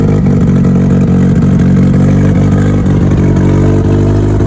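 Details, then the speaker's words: Mitsubishi Evo built for the dyno, with newly installed fuel pumps, started cold from zero fuel pressure: a loud, steady low drone with an even firing beat and no knocks or stumbles; it fires up and settles into a healthy idle. "But overall, everything else sounds good, fires up good, sounds healthy."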